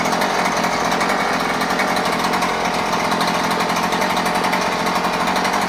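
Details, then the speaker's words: New Husqvarna 130C gas string trimmer, first start after primer bulb and choke: steady high-pitched two-stroke buzz at constant speed, no misses or surging; normal healthy running. "ah well sounds good feels good runs good now we'll go out and uh do some cutting with it"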